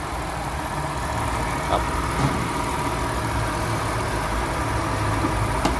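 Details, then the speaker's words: Honda Accord 3.0 V6 petrol idling smoothly after repair of shaking/stumbling idle and flashing check-engine light (cylinders 1 and 5 codes): injector replaced and cleaned, filter and leaking coolant hose replaced; steady low hum, no shake, warning light gone. "เครื่องก็นิ่งแล้วนะครับผมเครื่องก็นิ่งปกติแล้วไม่สั่น"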